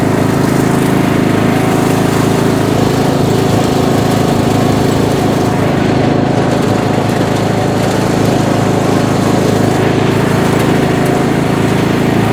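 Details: Bolens M762F lawn tractor, 10 hp single-cylinder, revived after a no-compression teardown, on a test drive burning off spilled oil: steady even drone under load, no knocks or surging; runs healthy.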